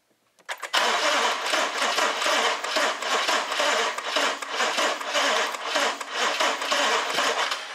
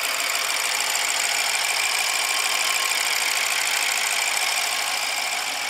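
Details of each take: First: 2014 BMW 650 with N63 engine, cranking during a pressure-transducer test before repair: a ragged, skipping crank with uneven puffs and gaps; one bank's timing is so far out it doesn't contribute, so the engine runs only on bank one. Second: 2014 BMW 650 with N63 engine, first start after the failed timing repair with two new injectors, on a jump box: an even, steady idle with only a light fine ticking from the top end, no weird noises, knocks or rattles; normal idle.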